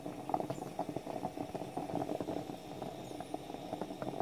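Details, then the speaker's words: French stovetop espresso pot near end of brew: irregular bubbling gurgles and pops thin out, may end with a final loud hiss or just stop percolating; percolation winding down, brew finishing. "It'll give a final loud hiss when it's done. Or simply stop making the percolating noise. Depends on the model you have. There, it's beginning to roll down."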